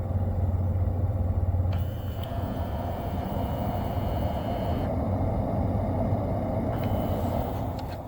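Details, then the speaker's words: 2017 Tesla Model S 75D, LHD, 160,000 km, fan on highest setting: the airflow changes tone as recirculation switches on and off. The stuck recirculation flap works again after being freed and greased; servo is fine. "set the fan speed to the highest setting you should clearly hear the change in airflow while switching recirculation on and off flap is working as it should now"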